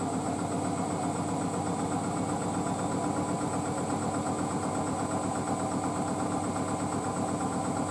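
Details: Hotpoint WD640G Aquarius+ Super Silent washer dryer with an inverter motor and 1400rpm spin, standing on a possibly slanted concrete floor: the spin gives an even, steady hum with no thumping or banging. Balanced and very stable, normal.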